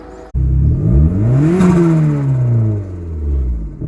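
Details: SRT-4 turbo petrol engine running without a PCV valve after the old one broke apart in the valve cover: revs climb cleanly and drop back smoothly with no stumble or misfire; engine sounds healthy.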